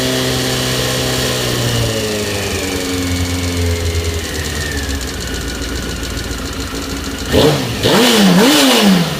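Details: Honda CBR 919 RR inline-four running with a loose, uneven knocking under the engine note before a couple of sharp revs; engine knock of unknown origin.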